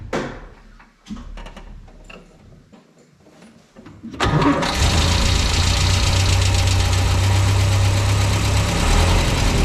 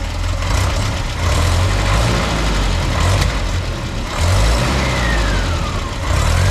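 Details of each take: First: 1967 Land Rover Series 2A after swapping its troublesome Solex carburettor for a used Zenith with a modified, inverted original arm: handling noise, then it fires and settles into a steady, even low idle with no knocks or misses. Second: 1967 (stated 1867) Land Rover Series 2a petrol engine just after swapping Solex carburettor for Zenith, new vacuum advance line, primed; runs loud and rough with sharp pops through the rumble, backfiring, cause not yet found.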